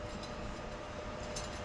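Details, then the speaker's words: 2002 Chevy Silverado front hub assembly bearing during a front end rebuild, grinding like crazy like metal ball bearings with no grease; steady gritty metallic grinding from a worn, dry wheel bearing, hub being replaced. "they are grinding like crazy it just sounds like metal ball bearings with no grease which is exactly what's going on"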